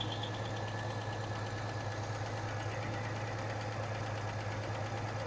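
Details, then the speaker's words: 1986 Chevy S-10 2.8-litre, restarted after long storage, oil pressure over 70 psi: uneven idle with a light ticking about two per second and occasional stumbles in sync with a misfire. Owner suspects a rocker fell off. Valvetrain tick with misfire at idle. "sometimes the misfire and that noise seemed to be oddly in sync sounds like a rocker I fell off makes sense"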